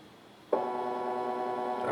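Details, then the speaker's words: AR3 robot arm kit stepper motor with a 14:1 gearbox, just switched on with its driver: a steady, loud multi-tone buzzing hum that starts suddenly while the motor holds still. It is very loud, especially when not moving. "Motor's on. Motor's making noise. Oh yeah, that's loud."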